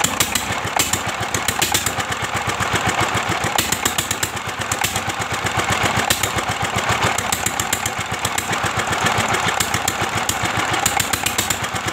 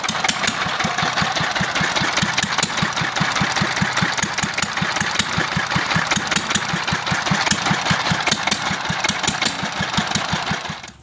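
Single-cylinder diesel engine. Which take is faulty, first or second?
first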